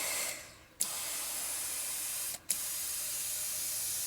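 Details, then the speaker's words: 1972 Harley XL Ironhead bobber, rear tube-type spoked wheel being inflated with the valve core removed: steady sharp hiss as air escapes past the 41 spoke nipples until the tube fills the void. Continued leaking would mean a holed tube. "now you're gonna have 41 air leaks 41 air leaks every nipple every nipple and every one of these and right here yep"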